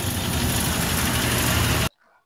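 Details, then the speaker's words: 1994 Suzuki Carry 1.0 after fixing timing cover mount that caused harsh engine noise: dense even idle rumble with no knocks, ticks or uneven beats; engine now smooth. "Ketika sebelumnya pertama kali dihidupkan dan belum diganti, suaranya kasar banget di area mesin. Sekarang sudah halus lur,"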